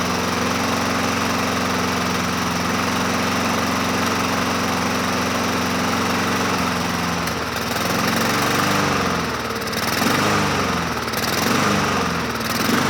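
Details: 2007 Honda HRR2162SDA Quadra Cut mower, after a stuck-open intake valve and crusty carburetor were fixed, started on choke: steady even single-cylinder run that wavers slightly as the choke eases. It is running normally.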